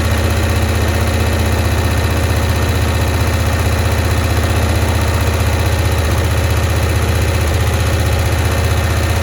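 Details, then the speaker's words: 1965 Cushman Truckster small twin, sitting one year, just started on choke: steady low throbbing idle with an even pulse and carburetor sucking sound while mixture screws are adjusted; owner suspects a stuck float. "okay so what I'm trying to do here is I'm adjusting the mixture screws to try and get it to run at optimal performance and at the same time it sounds like it might have a stuck float"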